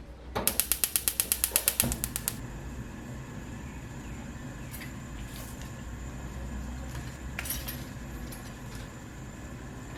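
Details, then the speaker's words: Gas stove burner after repair: part cut so burner cap sits on the base rim (about 10–13 mm), leaving no gap for gas leaks; igniter ticks then steady soft roar, popping/whumping gone. "มีแล้วนะครับไม่มีเสียงดังพึบพับแบบที่เป็นอยู่"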